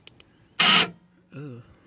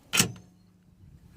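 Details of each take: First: 2001 Jeep Grand Cherokee liftgate, panel off, locking attempt: harsh quarter-second buzzing grind then wavering whir as the lock motor strains and the gate fails to lock; owner suspects the lock actuator needs replacing. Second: 2001 Jeep Grand Cherokee liftgate lock actuator, plastic cover off, giving two short crisp clacks a second apart: the normal lock/unlock sound, while other cycles make an awful noise and the gate won't lock; owner believes the actuator needs replacing.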